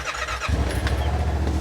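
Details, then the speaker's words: 2021 Yamaha Wolverine RMAX XTR 1000 4-seater, heard from outside: engine catches and settles into a steady, even low putter with soft exhaust note; idle exhaust sounds decent, not overly loud, healthy. "idling exhaust it sounds decent it's not overly loud"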